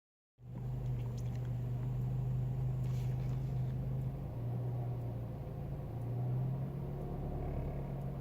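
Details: Renault Megane I ph2 1.6 16V K4M, warm engine, only while holding the throttle, recorded in the cabin on the passenger side, 2,000 km after an oil and timing service. Fast uneven rattle from a loose oil pump chain; chain and sticking pump to be replaced.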